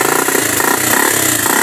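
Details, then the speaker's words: Motorcycle after quick troubleshooting, earlier no fuel in tank, now refueled with ignition OK: engine runs steadily with even, busy exhaust note, no knocks or misses; normal running. "Tingnan niyo, umandar na. Muli, pakinggan natin."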